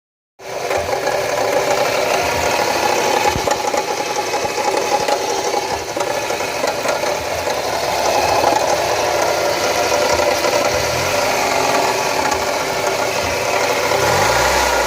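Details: Mazda Miata petrol engine running with a dry, uneven knocking and grinding rattle over a busy mechanical hiss; owner unsure whether variable valve timing, power steering or something worse, cause unconfirmed.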